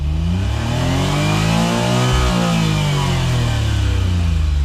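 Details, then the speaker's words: Suzuki Cara/Autozam AZ-1, DOHC F6A, driving under load with injector cleaner in fuel: revs rise then cut out near 7500 rpm, cut point varying; owner suspects fuel system, unconfirmed. "so right now it gets to about 7500 before it cuts on me so clearly whatever's happening moves around"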